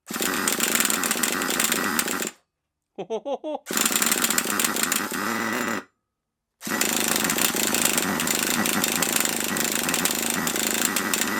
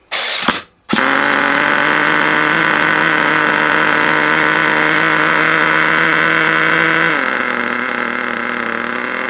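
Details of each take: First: HotBodies 3.5 nitro engine in HPI Savage 21 RC truck, just started: fast raspy screaming idle with brief cut-outs; idle set too high and noisy, idle screw turned out to lower it. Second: HotBodies 3.5 nitro engine in an HPI Savage 21 RC truck, after turning the idle screw out: high buzzing idle drops to a lower, even note and holds smooth and stable; idle now normal.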